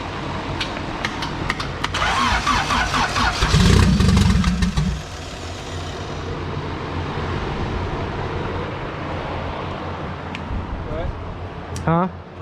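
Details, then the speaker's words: Turbo D16 Honda EF hatch, GTX3576R turbo, first start: a few seconds of fast cranking with throttle held, a loud rough catch and lumpy idle. Coolant-temp correction was adding fuel and MAP read zero. Hard start from over-rich fuelling. "wait our engine coolant temp is giving 21 fuel okay i had to fix some coolant temp corrections it was given at 20 fuel because whenever you start it right now it's registering zero map pressure when we give it throttle"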